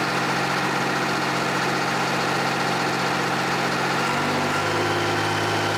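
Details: John Deere 350B bulldozer, rebuilt diesel engine after its first start since rebuild, break-in idle: steady, even idle with a smooth low drone shifting to a slightly different pitch partway through, no knocking; normal idle.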